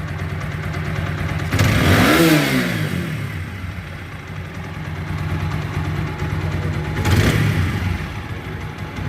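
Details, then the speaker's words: TVS Apache 4V bike after replacing camshaft, clutch plates, rear crank bearing, air filter and spark block for engine and 3rd-gear noise: even idle picks up cleanly into two quick revs and settles smoothly, no knocks or rattles; healthy. "ঠিক আছে sound? আমি পুরোপুরি satisfy."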